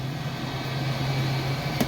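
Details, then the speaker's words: RV slide-out extending after owner sprayed a little lube on the gib and wheel (not the teeth) on Labor Day, about 80°F, on shore power; steady, even motor hum with no cracking or popping, which it did badly when first bought; normal slide-out operation. "I leave that to spray a little bit it only takes a tiny little bit you can hear how smooth that"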